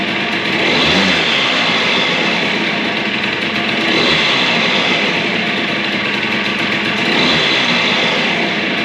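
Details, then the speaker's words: DS90 two-stroke after rebuild with used replacement crank, first heat cycle, idle raised slightly: crisp ringing idle blipped up and down every few seconds, picks up cleanly and settles evenly; running healthy. "I think we're ready to try to start this thing what don't you say let's give it a go and give it its first heat cycle sounds good to me"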